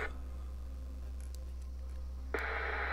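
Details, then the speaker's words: Vintage HAM International UK 120-channel AM/FM CB, after switch-cleaning the scratchy volume control: smooth, even hiss over a low steady hum rises cleanly with volume, no scratching or crackle. "And that should solve our scratchy volume control. Let's give it a test. Sure enough, no more noise."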